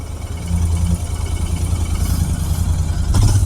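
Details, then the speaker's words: Royal Enfield Interceptor 650 at about 5000 km, just after a service wash; water got at the spark plug: deep idle with irregular missed beats, a ragged lope; wet spark plug misfire. "तो यार यहां से plug निकाल दिया है तो देखते हैं यार अब मिसिंग प्रॉब्लम ए रही है पानी चलेगा था एक्चुअली कभी-कभी वॉश में होता है ना तो प्लग ठीक ना लगा हो तो वाशिंग में ग जाए तो प्रॉब्लम हो जाति है"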